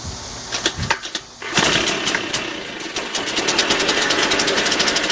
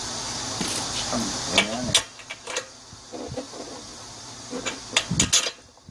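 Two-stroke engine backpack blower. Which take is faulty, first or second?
second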